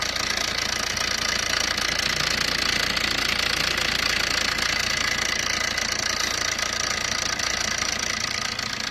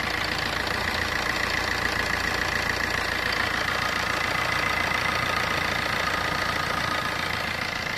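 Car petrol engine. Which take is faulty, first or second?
first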